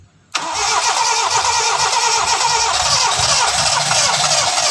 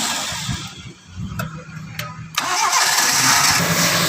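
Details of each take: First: Toyota Starlet just after an oil change and four new spark plug wires: catches after a short crank, then a slightly unsteady hum with a wavering low beat, not yet settled; said to be smoother than before the service. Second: Toyota Starlet after light service with fresh oil change and engine flush, previously rough: engine cranks, catches after a short pause and settles into an even, quiet, smooth idle; normal idle.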